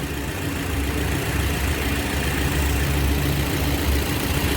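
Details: 2007 Toyota (Yaris) idling with the AC on. The customer reports jerking, hunting and misfire. Low, uneven thumping with an occasional stumble as a cylinder drops out, traced to a failing ignition coil.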